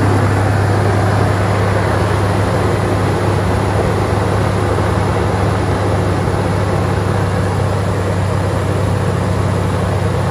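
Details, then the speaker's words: Toyota Tacoma at idle after fan clutch replacement and belt retightening, where belt squeak was heard earlier: a steady, even idle with a smooth low rumble and soft fan rush, no squeal or rattle. Sounds healthy. "like when I was trying to tighten everything there was some belt squeak but I'm going to see see uh what this fan clutch sounds like"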